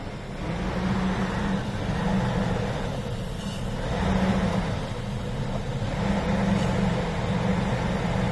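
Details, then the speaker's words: 2004 GMC Yukon Vortec engine at idle before throttle body cleaning with Berryman B12: low, uneven drone that swells and sags every second or two, a rough idle; owner hopes the cleaning will help. "n there we have kind of a rough idle see if that will help"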